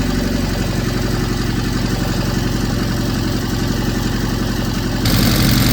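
Steady, even four-cylinder beat with a clean rise in revs near the end, no knocks or rattles, a healthy fresh engine.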